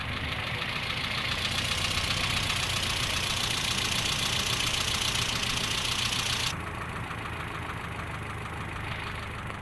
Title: 4g33 rough idle due to vacuum leak